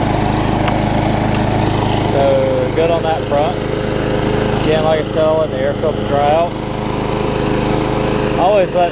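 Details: Tecumseh-powered Craftsman self-propelled mower, running after fixing a wet air filter: small single-cylinder engine holds a steady, even drone with no surging or misfires; normal running.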